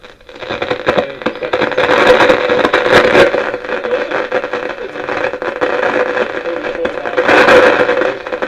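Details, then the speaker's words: 1957 Bush VHF64 valve radio after capacitor replacement, with the EF89 valve removed. Irregular crackles and pops over a hissy, hollow tone, with AM reception barely struggling through. Crackling fault, cause not yet found. "there's still crackles with that AF 89 out now which is not the face before"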